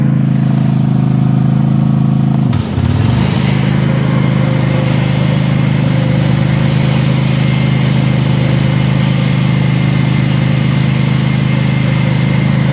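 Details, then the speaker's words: Cub Cadet zero-turn mower started on choke after an oil and filter change and new primed fuel filters; it catches and settles into a loud, raw, steady bark with no muffling. Loud exhaust, muffler disconnected. "let see let's get it fired up it's going to get really loud for a second"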